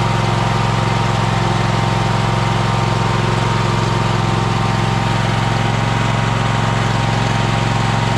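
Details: Troy-Bilt Horse tractor single-cylinder engine after fuel pump replacement and fuel line primed; steady even putter at settled idle, no misses or knocks; some smoke from having been on its side, clearing; normal idle.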